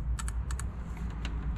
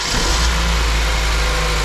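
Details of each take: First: Honda with cylinder 2 not firing; injectors pulled from the fuel rail and bench-tested before swapping positions: sharp paired clicks in quick, crisp, consistent bursts. The injector opens and closes normally. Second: Honda with the second cylinder not firing, run after the injectors were swapped and checked: a lumpy, uneven idle with one cylinder dropping its beat against a steady low drone; the misfire on cylinder two remains, and low compression is suspected.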